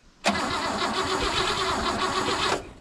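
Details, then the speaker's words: 1959 Oldsmobile Dynamic 88 barn find that sat for years, cranking on the starter before fuel reaches the carb. About two seconds of even, regular chugging on every cylinder; compression sounds balanced and healthy. "suppose let's hear what this sounds like cranking over with"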